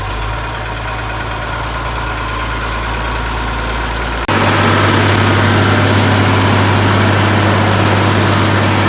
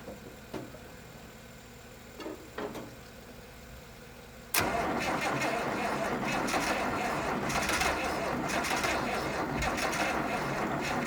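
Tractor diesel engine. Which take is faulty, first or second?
second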